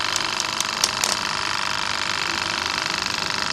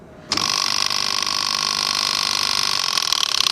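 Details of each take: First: Wagner 435 7.8 hp diaphragm airless paint pump (F230 equivalent), brought in loud and leaking hydraulic oil, after internal hydraulics rebuild: fast even clatter about 3.5 strokes a second with steady hiss; pump healthy. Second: Wagner 435 7.8 hp diaphragm paint pump that also leaked hydraulic oil, on startup: harsh, steady high-pitched mechanical racket from the start; suspected internal fault in the hydraulic housing, not yet confirmed.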